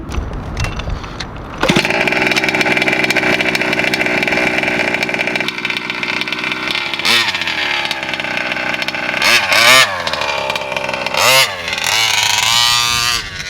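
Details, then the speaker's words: VEKTA.5 RC car, two-stroke with a Walbro 1107 carb reset to factory settings and an old spark plug: high steady buzz that stumbles and dies once the high-end needle kicks in; not flooded, cause unclear. "The high end, once the high end needle kicks in, that's when it sounds like it flooded, and it just shuts the engine off."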